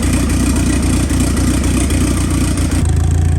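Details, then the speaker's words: Rebuilt Dodge Neon ACR long block, first start after assembly, warming up: even, steady idle, smooth low rumble, no knock, tick or misfire; no leaks, good oil pressure, needs a tune. "Well, she started, don't see any leaks underneath. So we're gonna start it up again, let it get warm, let it idle. Got good oil pressure."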